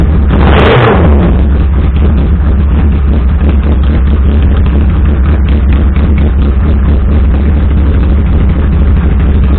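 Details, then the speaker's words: 1982 Yamaha Maxim 550 four-cylinder motorcycle, run after sitting all winter with old gas: steady low exhaust drone with a lumpy, uneven beat at idle, one of four cylinders not firing. Carburetors suspected. "all right so as you just saw there like does run no but couldn't tell it's a four-cylinder bike and it didn't quite sound like it was running at all for it"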